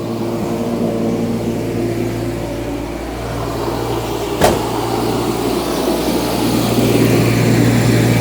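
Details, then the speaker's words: Jaguar XJS V12 after new distributor cap and rotor (had intermittently run on half its cylinders, Marelli failure): steady, even idle hum with one brief click, no misses; healthy idle on all twelve, smoother and stronger than before. "Very nice and smooth. It's definitely smoother than before."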